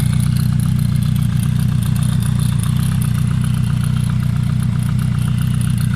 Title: Suzuki GSF Bandit 1200 strange noise on cold engine